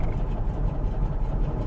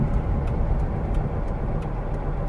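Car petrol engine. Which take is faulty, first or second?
first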